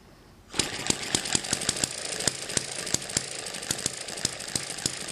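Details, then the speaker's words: Eachine ET7 hit and miss model engine on the original governor springs, running about 1600 rpm (tachometer): quick successive ticks without coasting gaps, firing almost every turn. It runs too fast; weaker springs are planned. "degrees apart that's showing 3200 rpm we divide that by two so this is running about 1600 rpm with the original springs"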